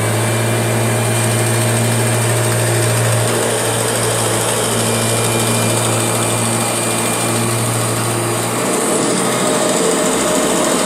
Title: Strange Noise Kirby G6 #2